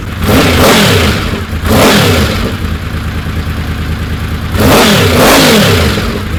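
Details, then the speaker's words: Honda VFR750 on the lift after removing extra O-rings from the carbs and turning the mixture screws out a quarter turn each: two crisp throttle blips, revs climb sharply and settle cleanly to steady idle; previously anemic, flat spot at light throttle, higher rpm. "she seems to snap up pretty good on throttle it was rather anemic before even sitting on the lift but I kind of thought it was just the way it was"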